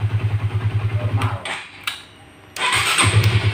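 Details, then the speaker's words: Honda CB150R (CB150FI) starter test in neutral after cleaning oily dirt off the neutral switch contact ball; new battery, relay, starter motor and button fine. Quick, even cranking about three beats a second, a pause, then a second even crank; starter now healthy. "daerah saudara cukup buat Kalita coba ternyata kembali normal Hai masalahnya hanya ada di sweet netralnya tadi ya"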